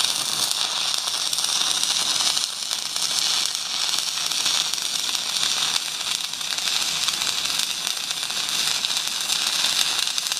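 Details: Stick welding half-inch pipe with 3.2 mm 6012 rod at about 150 amps on a Magnetic 150 welder; steady, even crackle and sizzle with no breaks, a stable arc burning smoothly.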